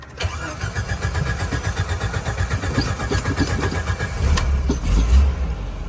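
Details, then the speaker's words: 1988 Jeep Wrangler YJ, carbureted, after conversion to an electric fuel pump: total cold start, engine catches quickly and settles into a fairly even idle with steady low firing pulses; runs better than before. "There we go. Well, it runs better than it did last time. Total cold start."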